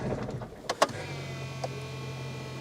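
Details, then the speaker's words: BMW E46 320d diesel with a fuel pressure stalling fault: a clunk at key-on, then a constant low hum with a faint whine as the pre-supply pump primes. It is noisy, possibly just an aftermarket pump and not necessarily bad; the engine now fires straight away without long cranking. "So again, that pre-supply pump is a bit noisy, but that doesn't mean it's bad. That it could just be an aftermarket pump."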